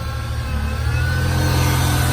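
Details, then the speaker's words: Flex-fuel 3.0 V6 from a wrecked 2000 Ford Ranger (5-speed), started by jumping the starter solenoid; it revs up smoothly with a deep, steady note, no smoke, ticking or knocking, though the idle is rough: normal running. "no ticking, no knocking. It's got a horrible idle though."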